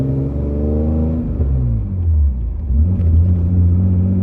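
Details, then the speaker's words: BMW E28 under throttle, deep pull with an uneven, lumpy beat that shakes the car: misfire with one of six cylinders dead from a bent valve. Three of the six cylinders have a resonator in the exhaust. "You can definitely hear the misfire a little bit, but I mean it it's driving good. It's awesome, man. If only I didn't bend the valve, dude."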